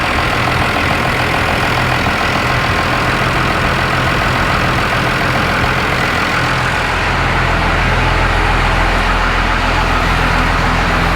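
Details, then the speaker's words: Cam-driven diesel just fitted with a new HVLP lift pump, started without bleeding the injectors: brief air stumble, then a steady clatter at idle with a constant beat and no surges; idling cleanly, no leaks. "You could hear it getting a little air out of the system, kind of tripping a little bit, but then it caught right back up and it's going great."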